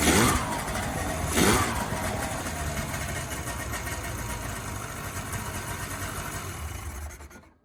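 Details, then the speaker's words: 2003 Ski-Doo 550 fan-cooled Grand Touring snowmobile that wouldn't run and died, after ultrasonic carb cleaning: two-stroke catches on a couple of sharp pulls and runs with an even crackle before shutoff; starting normally after repair. "Alright, so there you go. Another sled rescued. All set to go back on the trail."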